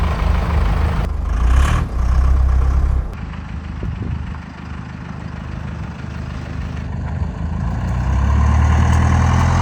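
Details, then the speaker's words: 1984 Chevy K5 Blazer CUCV with Cummins 4BT diesel, just started after compound turbo kit and full exhaust install: settles into steady, even low rumble, no knocks or misses, quiet smooth exhaust at idle. "Definitely quieted things down with the full exhaust hooked up and both turbos on. Oh yeah, way quieter."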